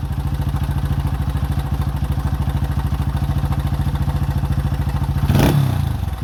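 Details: 2005 Honda CRF150F (California street-legal) single, after a valve adjustment and carb tune-up for a no-start; it had previously run very high without idling. Carb being adjusted; steady idle, two quick throttle blips taken cleanly, then settles back. Runs fine.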